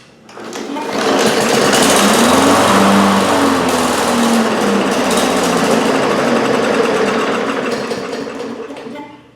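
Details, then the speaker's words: 2018 Briggs & Stratton 450 series mower that wouldn't start: catches on starter fluid and runs rough and rattly for several seconds, then dies from fuel starvation; spark and compression are fine, and a clogged jet in the dirty plastic carburetor is suspected. "so I'm gonna take a wild guess and say we got a dirty carburetor one of the Jets is clogged"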